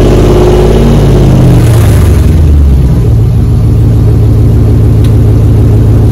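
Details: 2004 Dodge Ram 1500 Hemi 5.7 V8 after muffler and resonator delete, straight pipe fitted underneath; loud deep burble rising with a rev then settling to steady open-pipe idle; healthy engine, loud straight-pipe exhaust.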